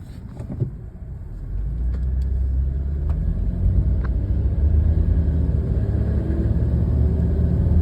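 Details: 1998 Toyota 4Runner Limited: deep, rough grinding/buzzing rumble swelling when accelerating, louder than normal engine note; cause unknown.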